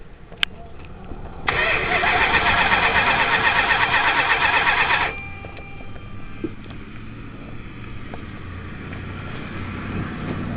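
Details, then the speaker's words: 1978 Chrysler Cordoba at a flea market, choke held open by hand: steady rapid cranking for about three and a half seconds that never catches or fires, then drops off; cranks but won't start, possible flooding, cause unconfirmed. "car don't want to start car because car's not wanting to start"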